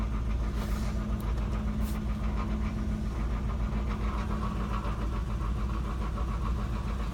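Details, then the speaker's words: 1991 Cadillac Eldorado, 80k miles, long sitting, needing a tune-up, with chunks missing from the belt and a falling-apart catalytic converter: a low, steady V8 idle with an even beat, no misses or knocks. Engine runs pretty smooth; normal idle. "Engine runs pretty smooth."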